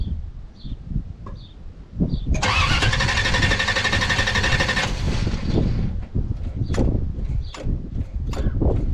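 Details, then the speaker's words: 1967 Chevy Camaro RS, small block 350 with turbo 400, storage unit find sat about a year, coolant and oil checked: short crank then sharp roar settling into steady even idle; normal start. "[Music] Look It Go [Music] [Applause] this sounds good"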